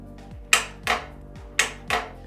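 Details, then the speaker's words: Yamaha XJ650 build with a Motogadget M-Unit wiring the starter and ignition: two pairs of sharp metallic clicks as the start button is pressed and released, with the starter motor not connected; the solenoid pulls in cleanly. "The M unit is now powered up, and if we push the start button, everything powers up"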